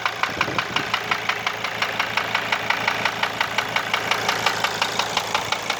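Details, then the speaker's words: Mercedes W210 2.7 CDI diesel at idle, warming normally: sharp, even knock about twice a second persisting after replacing hydraulic lifters and injectors; cause unknown. Engine knock at idle. "здрасте подскажите меня mersedes w210 двигатель 2 и 7 cd и что-то стучит уже поменял гидрокомпенсаторы форсунки но стук так и не прошёл"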